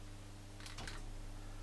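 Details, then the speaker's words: Wells Gardner U5000 CRT arcade monitor in Konami Winding Heat machine at power-up: steady mains hum then quick clatter of degauss clicks, showing power present, but no picture; horizontal output section shut down, B+ too high. "now if you heard that noise there sort of like flood noise that was the the gaussian circuit kicking in so we know that the monitor is actually getting some power"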